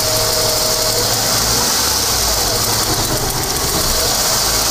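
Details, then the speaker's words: 1996 Ford Falcon EF 4.0L inline six, which dies at idle at lights: rough, uneven idle nearly stalls as revs fall back after a prod of throttle, faint whine suspected to be power steering pump or vacuum leak; idle stumble, cause unclear. "almost died then when you come back so you don't need to give it too much and it still doesn't but you could hear it then it was all right that time"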